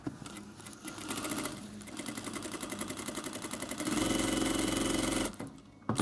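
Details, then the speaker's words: Sewing machine at maximum stitch length after fixing the feed lever mechanism and rack: quick, even stitching with no jerking, knocking or vibration; it runs smoothly. "проверяем нету никаких порон посторонних шумов ничего не вибрирует ничего не стучит машинка шьёт хорошо"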